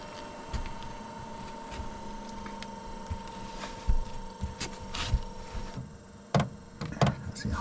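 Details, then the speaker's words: Hcalory 8 kW diesel parking heater heating a workshop, startup set to high 10. Soft ticking about once or twice a second over a steady fan hum as the pulse fuel pump comes on and primes toward the burner before the glow plug heats. "Now, the the uh the clicking you can hear is the uh the fuel pump has just come on there. Look. Yeah. And what that does, it's just a little pulse pump."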